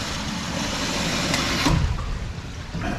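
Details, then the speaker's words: RPZ backflow preventer on a test stand with a solenoid valve on its outlet: steady rushing water, then a single dull thump as the valve slams shut and water hammer hits the back of the check. "now what the difference here is we can tell we can hear that audible thump right we can hear that water hammer coming back and hitting the backs side of this check"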